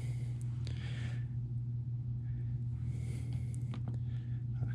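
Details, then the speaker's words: Furnace after new thermostat installed, set to heat mode and turned up: steady low hum of blower and burner settling into even run, no knocks or rattles; heating kicks on normally. "So we're gonna put it on heat mode. We're gonna turn it up. Make sure it kick on."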